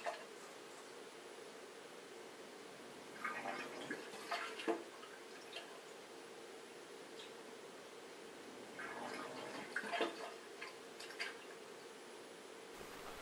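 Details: Bosch dishwasher SHE4AP02UC/06, third try; faint pump hum with short water bursts every few seconds; drain pump repeatedly starts and stops, failing to empty water between cycles.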